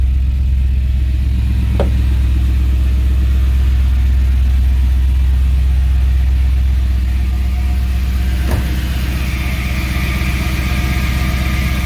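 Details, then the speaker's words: 1964 Chevrolet Impala with an LS V8 swap and a new intake, near the end of its restoration. A deep, even V8 idle with a steady, regular pulse and no ticking, misfire or stumble; it sounds a little different with the new intake. Normal idle. "let's start it up you guys haven't heard it in a while the dash is in yeah it does sound a little different with this intake [Music]"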